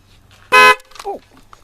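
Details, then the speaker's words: 2005 Dodge Grand Caravan horn not working, suspected bad ground; with a jumper run from the T-pin straight to ground, the horn switch press gives a short, loud, steady two-tone blare. The horn works, confirming a bad ground connection. "I'm gonna hit the horn switch and see if the horn works if it does then I know I definitely have a bad ground"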